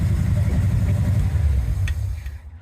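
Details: Jeep CJ7 first start after full Painless wiring harness rewire and aftermarket HEI distributor install: strong, even low engine note with a clean rev and steady firing, no misses or knocks, then settles; healthy running engine.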